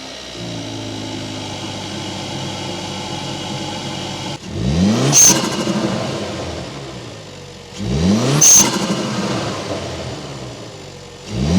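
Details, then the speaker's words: Hyundai Veloster N turbo with newly installed Takeda intake and turbo inlet, cold start after sitting 6-7 hours: even idle, then three quick revs with rising whoosh and sharp hiss on release; healthy. "The first startup is gonna be a cold start. Hasn't been started up in like 6 hours, 7 hours. Let's see what it sounds like."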